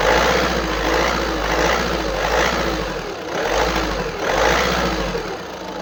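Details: 2013 VW Passat B7 1.6 TDI diesel (CAYC, 77 kW/105 PS), 177,263 km: hum rises and falls about every two seconds instead of holding steady; irregular engine noise suspected from a clogged diesel particulate filter (DPF).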